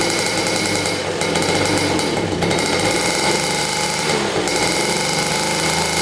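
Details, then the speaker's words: Rare 1950s German scooter two-stroke, likely unrun for about 50 years, good compression: rough, rattly buzz held on the throttle with no steady idle yet; engine running under throttle again but needs idle adjustment. "Well, she runs. That sounded amazing too. We just have to get this thing to idle."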